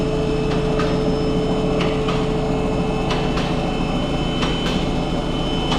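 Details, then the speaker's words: Audi A6 2.0 TDI diesel with 0B5 DSG automatic, on lift at idle: irregular dull knocks about two a second over steady idle from engine-transmission junction; failing dual mass flywheel, sometimes shakes car on start. "And we can hear that the sound is coming from uh this side uh over here. That is uh that is where is the connection between the transmission and uh the engine."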